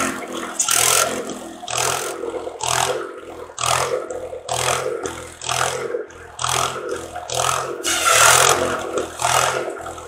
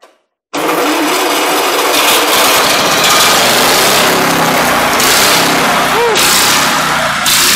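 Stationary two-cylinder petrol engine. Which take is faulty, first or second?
second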